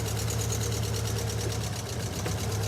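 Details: Ford Fiesta XR2i started after 7–8 years sitting in a barn, coils pulled one at a time: lumpy, uneven idle with a low throbbing hum that sags near stalling; a misfire, owner suspects rusty or poorly connecting coils, not confirmed.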